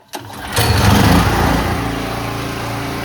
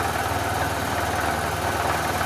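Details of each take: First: Generator that sat 5+ years, carburetor tuned, fuel on, choke on: engine catches with brief surge then settles into steady, even drone at governed speed, about 3,600 RPM, no hunting or misses; running healthy. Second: Generator revived after sitting 5+ years with parts missing, bench test-fired on little fuel, makes power: steady low even drone, no surging, but governed speed sounds a little low; owner suspects low RPM, untested; engine running at low speed.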